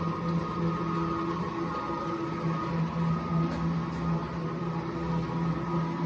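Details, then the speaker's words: Precor C964i commercial treadmill: the independent incline motor raises the deck on its front legs. A steady low electric hum, with no grinding or clicks; the incline drive operates normally. "has an independent motor that brings it up and down as you can see it's still going up until it locks into place"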